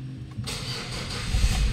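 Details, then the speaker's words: 2011 Ford Everest after rocker arm and timing belt replacement only. Short crank, then it catches at once and settles into a steady idle with no misfire or popping; one-click start confirms the repair. "So one click mga bossing. So goods talaga yung ginawa nating rocker arm at saka timing belt lang."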